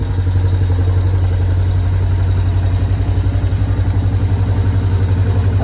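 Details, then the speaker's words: Yamaha Tri-Moto 4 three-wheeler after pull-start repair, oil change and valve adjustment: steady, even single-cylinder putter at idle, regular firing with no knocks or misses; normal healthy idle. "shift perfect ritz perfect sounds amazing"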